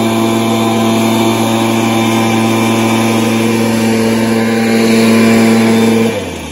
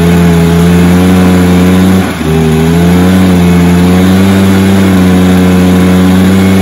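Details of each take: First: Stihl BR430 backpack blower, previously bogging, after the fix: a strong, even high-pitched drone held steady at full revs, dropping cleanly off throttle; it starts, runs and revs out well. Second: Stihl BR430 backpack blower two-stroke, primed and choked with the carb initially run empty: a flat mid-range drone that stumbles briefly and never reaches full revs, then drops to idle. It is bogging from a lean carb, with a carb screw adjustment planned.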